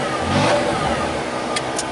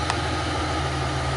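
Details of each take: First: 1995 Chevy Lumina after sitting a year, exhaust reworked with turn-down tip: revs up cleanly and settles back smoothly without rasp or choking under light throttle; owner hopes restrictive muffler was the problem. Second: 1995 Chevy Lumina, being readied for the road after sitting about a year, started with the stock muffler removed (catalytic converter and resonator still fitted): steady, deep, loud idle with a throaty low rumble and even pulses.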